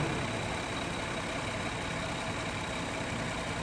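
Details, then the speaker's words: 2000 Toyota Avalon 3.0 VVT idling at about 650 rpm after clearing rich running from an unfired cylinder 4 during misfire diagnosis: steady, even idle with smooth low rumble. "okay so the engine is going to stabilize right now at about 650"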